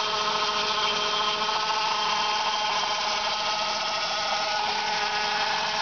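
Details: Saab 9-5 1999 2.0L turbo B205E 150 hp, also losing oil pressure when hot: steady high-pitched whine at constant engine speed, no knocking; owner suspects the oil pump, not confirmed.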